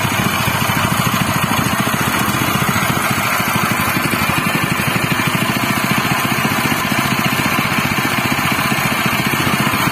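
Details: General CX200 6.5 hp, 196 cc single-cylinder air-cooled 4-stroke OHV petrol engine (pull start, 20 mm shaft): fast, even thrum at a constant speed with no knocks or misses. It is running normally and smoothly.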